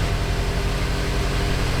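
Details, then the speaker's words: BMW M5 after repair of a broken engine and VANOS/timing work. First cold start: steady low rumble with smooth, even fast idle, no ticking or knocking. Timing fine, no drivetrain malfunction or check engine light; normal cold-start idle. "The cold start procedure right now. Um, hey, it didn't blow up. Didn't blow up. So, the timing must be fine."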